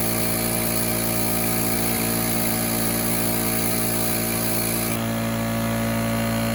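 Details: Small portable air compressor (about 2–3.5 CFM class, runs one gun) switched on: loud steady electric motor drone with fast even pulse around three per second, no knocking or squeal; running normally, though its gauge was not reading correctly.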